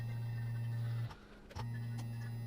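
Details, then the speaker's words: Peugeot 207 CC GT 1.6 THP turbo petrol, repeated key-on priming to drain stale fuel from tank: steady low electric buzz stops about half a second then restarts at same pitch; fuel pump priming normally. "i'll also include a bit of the sound as the tank runs completely dry because you'll hear the pump the pitch of it change and it sort of goes high pitched"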